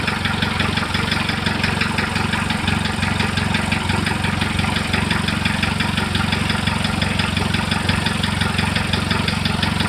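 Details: Engine at idle: steady idle with regular light tapping, roughly three per second, over the engine note; knock present, cause unknown.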